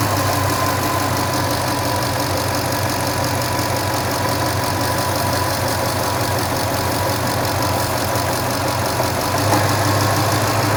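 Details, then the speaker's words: Old Toyota Tundra at idle during intake spray test: slow rise and fall in speed, attributed to the AC compressor cycling on and off; no vacuum leak found; rich running traced to an inaccurate mass air flow sensor. "Now, some of the variation you're hearing is actually caused by the AC coming on and off. That's that up and down you're hearing occasionally, but now I don't see any issues there, either."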